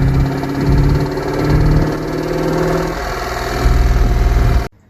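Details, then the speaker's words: C5 Corvette V8 with new rear gears, idling, phone down in the transmission tunnel hole: loose, uneven knock about four times a second; seems to come from bell housing, lifters quiet up top; cause not confirmed. "I got underneath it and man it sounds like it's coming from the bell housing so it doesn't you know the the lifters were pretty quiet up here"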